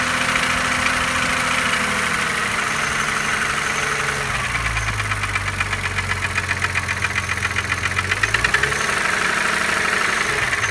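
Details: BMW E36 M3 3.0 S50B30 idling, warm or cold: fast sharp ticking over the running note, seeming to come from near the oil filter; started suddenly after a restart; bearings, chain tensioner, valve clearance checked OK, cause unknown.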